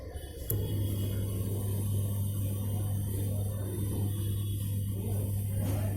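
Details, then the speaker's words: Samsung 6.2 kg top-load washer with faulty PCB, drain motor wired directly to mains for testing: steady low hum comes in abruptly and holds with no rattle or grind; drain motor running fine. "Drain motor operate हो चुका है।"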